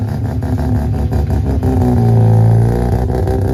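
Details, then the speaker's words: Home-built Mazda 13B rotary, first drive with fuel needle on E: revs unevenly, stumbling and sagging under throttle; carburetor starving for fuel, lean, tank possibly empty; Holley fuel pump then installed. "I can just feel um instantly that the um carburetor is fully starving for fuel um so it's possible that the tanks really really empty"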